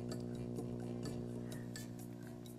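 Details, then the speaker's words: Op amp null test on a deliberately poor power supply: a TL072 swapped in for an NE5532 lets steady mains hum with evenly spaced tones through under the music because of its poor supply rejection. "the tl-072 has pretty horrible supply rejection because it's letting a lot of hum through"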